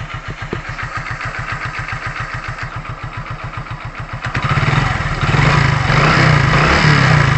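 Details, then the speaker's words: Hero Glamour single-cylinder bike after piston ring fitting and cylinder head refit: a steady, even idle with no piston, crank or timing chain noise, then a smooth rise in revs; the white smoke has stopped. "मैंने पहले ही आपसे कहा था कि engine में ऐसा कोई आवाज़ नहीं है, ना पिस्टन का, ना क्रैंक का, ना टाइमिंग चेन का, ऐसा कोई भी आवाज़ नहीं है।"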